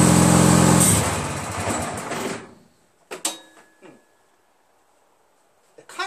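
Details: Craftsman DYT4000 repowered with a 14 hp Briggs twin, battery charged for hours with the charger connected: engine roars, bogs and dies within two seconds of PTO engagement, then short cranking bursts. Owner suspects PTO/crankshaft mismatch or the stator; cause unclear.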